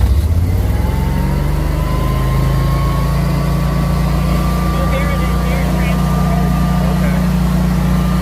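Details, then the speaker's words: Generac whole-home standby generator, newly installed, starting during a simulated power outage; it spins up and holds a steady, even drone with a smooth hum, like a lawn mower; normal running. "Sounds about like a lawn mower."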